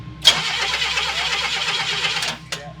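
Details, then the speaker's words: Chevrolet pickup converted from carburetor to FuelTech FT450 fuel injection: starter spins about two seconds with even pulsing but the engine never fires; the relay cuts out during cranking, so the injection loses power; crank no start from ECU power cut. "cutting everything out. Yeah, it's cutting the relay."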